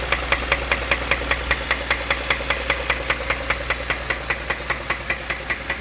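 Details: Sharp, evenly spaced knock tapping several times a second over a steady petrol engine idle on a 2015 Kia Optima: engine knocking at idle.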